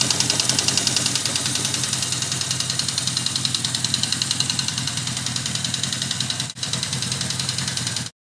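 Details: 1979 Yamaha XS1100 Special, close to 11,000 on the clock, idling: sharp, even clacking at about 3.5 per second that fades at high revs; owner thinks it is not rod knock and suspects a valve or a misfiring cylinder; engine knocking, cause unconfirmed.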